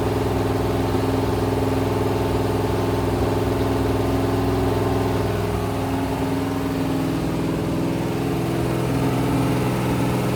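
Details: Rebuilt 426 Gen 2 Hemi crate V8 (new heads, intake, pistons) on run stand, flat-tappet cam break-in, 50 psi oil: deep, even drone at steady fast idle, no ticking or knocking; normal high idle.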